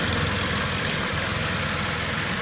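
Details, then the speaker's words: 2010 Vauxhall Corsa 1.0 Ecoflex three-cylinder replacement engine at idle, swirl flap solenoid vacuum disconnected: steady, even, smooth low hum with no tapping or rattle; engine now lovely and quiet, normal idle. "engines happens completely gone [Music] that's amazing now the engine's lovely and quiet"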